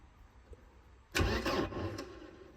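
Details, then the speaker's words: Mercedes-Benz 190E not run for almost 10 years, key lost and ignition wiring bypassed; about a second and a half of starter cranking that fades without catching, no fuel pump heard; cause unconfirmed; crank no start. "but I don't hear any fuel pumps, and I don't know what all of these does"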